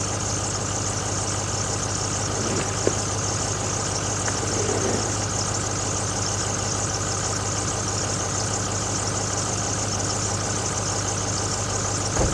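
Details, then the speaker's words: 2006 Ford F350 6.0L Power Stroke diesel at idle after a fuel pump replacement: a thin, constant squeal of unchanging pitch rides over the diesel clatter, an accessory belt slipping at idle. "so it sounds completely different it sounds good except for the SEL of the belt so let's see if it has any difference"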